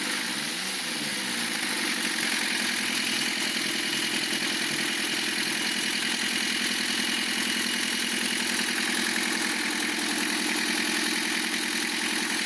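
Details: Lancia Thema 2.5 TD diesel after overhaul, idling: hard regular knock around the head over the clatter; cutting injectors 2 and 3 reduces it partly, timing marks correct; piston suspected.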